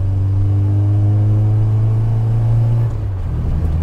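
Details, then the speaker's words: Austin Metro A-Series engine with HIF44 SU carburettor, after gearbox rebuild, pulls under load then briefly bogs with a known flat spot before picking up; runs far better than before. "oh flat spot there is that flat spotted the but I knew about that anyway so hahaha"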